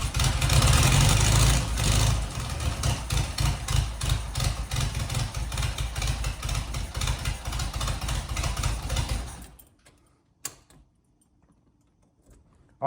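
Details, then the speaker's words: 1977 Fiat 124 barn find with a carburetor, on fresh gas: lumpy, uneven idle with a stumble about three times a second; running on only three cylinders, one cylinder dead. "not bad for only three cylinders almost sounds like it's got a big hand some big cans in it"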